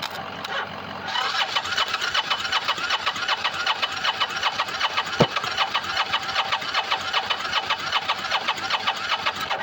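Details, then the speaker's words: Motorcycle cranks steadily at about 2.5 compression pulses a second but won't fire, with choke off and fuel on reserve. It had earlier run itself out of fuel; owner believes it needs a new battery, starter solenoid and fuel pump. "Yeah, that's all. It's not going to try and start. Oh, that is so irritating."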